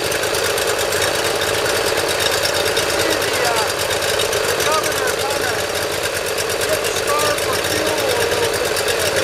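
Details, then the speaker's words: Cold start on full choke of a Briggs Intek V-twin on a Dixon mower. It follows valve lash adjustment, reaming of the Nikki carburetor low-side jet journals and an oil change. It runs fast and even with no surging or stumbling, starting easily without starting fluid. Normal cold running. "Probably even going to double check and adjust that governor, make sure there's no play in there, but it starts very easily now, no starting fluid."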